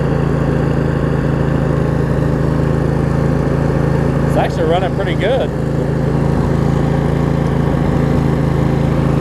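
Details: Craftsman riding mower, Briggs & Stratton V-twin, after shift hub repair, started on choke and driving: steady even drone at constant speed, no knocks, misses or surging; running smoothly and healthy.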